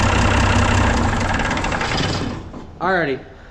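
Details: Mack silage truck diesel after installing new Dynatard engine brake solenoids, front cover on: even, steady idle knock that then fades out, no miss or clatter. Normal idle.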